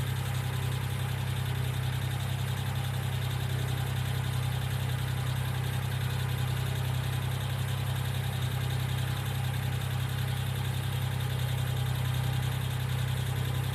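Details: 1995 Geo Metro at steady idle: light, even tick about three to four times a second from a hydraulic lifter. B-12 fuel injection cleaner is added to the engine oil before an oil change.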